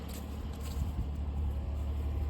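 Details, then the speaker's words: 2002 Pontiac Grand Prix GT cold start in cold weather, alternator belt missing, power steering pump destroyed, weak battery, exhaust with cats: low steady even idle rumble, no lifter noise or ticking; engine runs smoothly. "oh look at that man look at that no lifter noise no nothing oh she purrs man"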